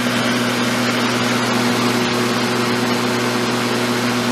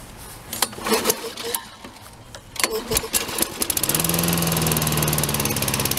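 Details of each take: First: Black & Decker electric mower, cleaned up with a sharpened blade, running smooth with an even, steady hum and no vibration or rattle; it can run at different speeds. Normal running. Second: John Deere mower: after clatter it holds a fast, high-rev buzz. The throttle cable spring caught underneath was holding the throttle wide open; freeing it made it run better.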